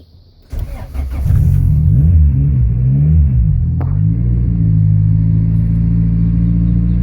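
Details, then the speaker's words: EK Honda Civic after a 30-amp fuel relay upgrade, fuel pump audible first: a quick crank, catch and short rev settling into a smooth, steady idle. Normal start and idle. "All right, she's on. So it worked."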